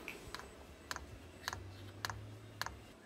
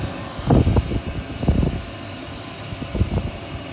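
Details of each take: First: VEVOR kit diesel parking heater with long, unsuitable fuel line: fuel pump ticks dry and evenly about twice a second over low fan hum during a restart attempt; the unprimed line causes start failure with error 10, so priming is needed. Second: VEVOR diesel air heater kit at full power after difficult priming of its long fuel line: steady low fan rush with a few irregular knocks, some smoke, air now coming out hot. Owner blames inadequate fuel tubes for the earlier problems; normal running.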